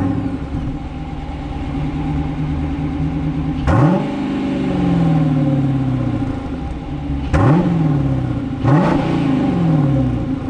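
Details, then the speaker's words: V8 muscle car after an aftermarket exhaust change (stock nearly silent except on cold start): deep rumbling burble with a few sharp throttle blips rising and falling cleanly. Healthy exhaust, not excessive; normal V8 idle. "Là on l'entend bien le V8. Je suis super content parce que c'est pas trop excessif le bruit je pense."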